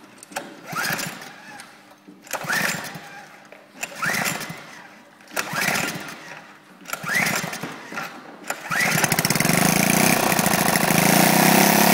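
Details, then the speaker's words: Lifan single-cylinder engine, big end seized from running low on oil, repaired by smoothing crank journal and rod cap with oil-soaked emery cloth: several pull-start tries, then a steady, even run with no knocking; normal start-up and run. "so they've heard is there she hasn't suffered any major effects there is just small problems they were tuning and stuff like that but no knocking you're banging your noises out of her"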